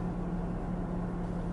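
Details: Citroën C5 II V6 HDi cabin blower, fan wheel repaired with a 3D-printed part, at fan level 3: soft, steady low hum with no rattle, scrape or ticking. Normal blower fan operation.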